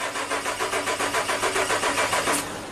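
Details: 2011 Suzuki Equator (Nissan Frontier) 4.0L V6, below 20F (-5C) for five winters: starter cranks evenly about six pulses a second but never fires; cold crank no-start caused by faulty ECM.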